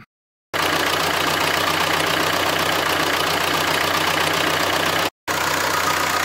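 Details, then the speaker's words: Renault diesel after glow plug replacement: even clatter at a steady cold idle with no odd knocks or misses; the strange cold-start noise is gone and engine running is normal. "les bougies de préchauffage sans remplacer le moteur ne fait plus de bruit bizarre à froid au démarrage c'est l'essentiel"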